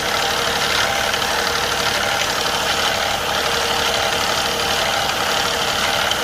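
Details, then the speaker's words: Infiniti Q50 twin-turbo petrol engine just after both turbos were replaced, held at just over 1500 rpm idle: busy, fine ticking/rattling chatter, loudest on the right bank, not heard before the repair; cause unknown, owner fears timing chain. "Right now the car is at idle and I have the RPM a little bit above 1500, and I hear this noise on the right engine."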